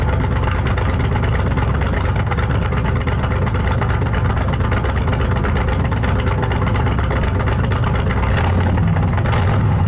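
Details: 1968 Thunderbird 429 big-block Ford V8 idling after a carb rebuild: loud, steady, even lumpy beat with no misses or knocks; running healthy, owner thinks he hears a slight vacuum leak of unknown source.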